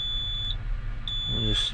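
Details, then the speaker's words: Truck with engine off, after DEF fault troubleshooting cleared ECM codes: shrill, steady high-pitched buzzer in long on-off beeps, the low air pressure warning, before starting the engine to build air. "so let's uh let's uh start it real quick and get this low air buzzer to quit beeping"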